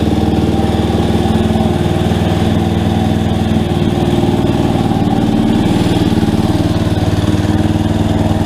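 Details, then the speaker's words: Rebuilt Yamaha Warrior quad, not yet broken in, running with a few light throttle blips: steady even single-cylinder putter, no ticks or knocks; normal running. "good oh i gotta mess with that idol a little bit more but man guys this sounds really good i'll tell you what i haven't tried to rev it up or anything yet but i didn't hear any noises i didn't hear any ticking or anything"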